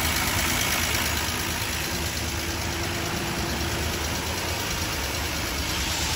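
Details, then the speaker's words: 1939 Dodge D11 sedan six-cylinder, revived after about 20 years unrun, no brakes; soft even idle, quiet consistent patter, no knocking or missing, runs pretty decent. "yeah all right so this thing runs pretty decent and drives halfway is good"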